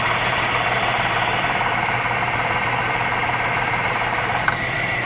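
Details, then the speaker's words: Jeep Liberty at idle with AC on max recirculation during a DIY refrigerant recharge, still blowing only slightly cool; a coarse, uneven rattling chatter over the engine hum from a very noisy AC compressor. "The compressor itself, the the pump is very noisy. Like a rattle noise. I don't know a ton about AC units. Like seriously, I don't think that's good, though. That doesn't That doesn't sound good."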